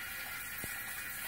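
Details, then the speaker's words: Well system pressure tank makes steady rushing, hissing water noise, which shouldn't be heard; means the tank is bad, with a failed rubber bladder (waterlogged). "shouldn't be hearing that that means it tanks bad"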